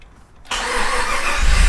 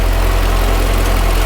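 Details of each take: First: Project vehicle first start attempt after 2.5 years of work, starter fault checks being disabled in the ECU: starter cranks about five seconds, never catches, no fuel pump hum; fuel pump not running. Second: Project vehicle first run after 2.5 years of rebuild, ECU not yet talking to transmission module: low steady rumble, even idle without knocks or stumbles; healthy engine, though a separate clicking noise is noted.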